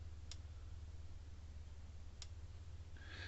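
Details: Premier 1 Intellishock 77B electric fence charger with a replacement board, powered up on the bench: faint hum with a sharp single tick about every two seconds, regular and even, measuring about 6,000 volts; pulsing normally.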